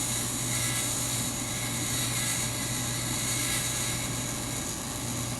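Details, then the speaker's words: 2004 Englander 25PDVC pellet stove, auger motor running right after annual maintenance greasing the bottom bearing wicks and oiling bearings: smooth steady low hum with constant whirr, no more groaning or straining; normal auger motor running. "that's it sounds nothing like it did prior it was groaning"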